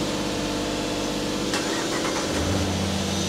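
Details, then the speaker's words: 1995 Lexus SC300, 230k miles, after a temporary wire-nut wiring repair and 15–20 minutes of running: smooth, quiet, even idle with no misses, a little fast, possibly the idle air control motor; normal idle. "seems to actually run pretty good it's quiet has a good idle it's a little fast but that might be like an idle air control motor or something"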